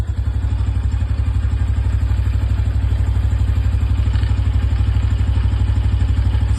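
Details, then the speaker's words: New Honda Biz 125 (2025 model) with 77 km, idling: quick, fairly even light clatter about three times a second, as if something is loose inside the engine. "se dá para ouvir aí, mas é como se tivesse alguma coisa solta."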